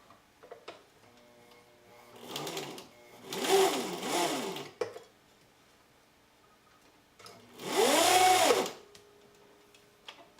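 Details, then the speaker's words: Old sewing machine (Elna Supermatic, Brother VX757 or Viking 6010): motor whirs in short uneven bursts, speed surging and sagging, jammed feel; drive belt slipping after little use. "you can hear the belt is really slipping and it's like it's all jammed up in there"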